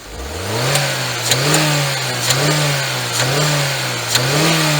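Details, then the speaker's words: Jeep Renegade engine (same issue as Fiat Toro/Compass) under hard acceleration and stall test in drive: surges with sharp metallic pings about once a second; ugly detonation-like rattle under load. "acelera ele forte ele dá um grilado bem feio um grilado que é comum nesses motores e nós vamos trazer solução para vocês depois da vinheta"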